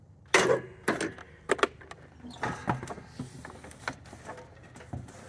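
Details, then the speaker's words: 20 hp lawn tractor with a 42-inch deck that won't start even after a new battery: scattered sharp clicks and clunks but no cranking rhythm, and the starter Bendix stays up at the flywheel. Compression lock; turn the flywheel to release the pressure. "so this is a compression lock where the there's too much compression in the engine"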